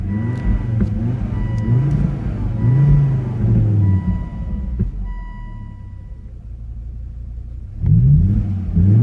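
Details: Volvo S60 R with check engine light: engine revs unevenly and stumbles, lumpy low rumble with frequent pops between blips, had just stalled; running rough, owner suspects a bad mass airflow sensor, not confirmed.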